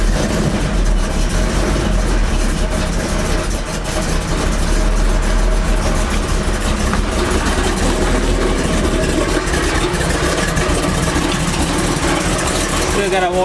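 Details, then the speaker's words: Chevy truck V8 warming up: steady, even idle with deep low rumble, no knocks or misses; sounds great; normal idle. "What you think, Mom? Powerful. Got that low. Got that loop."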